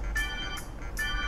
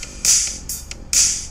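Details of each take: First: MacBook Pro laptop speaker playing music: treble fine but buzzy crackle on bass-heavy beats from a damaged speaker. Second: MacBook Pro speaker that crackled on bass-heavy music, after repair: music with a steady beat plays clearly, thin in bass but free of crackle; clean speaker playback, no distortion.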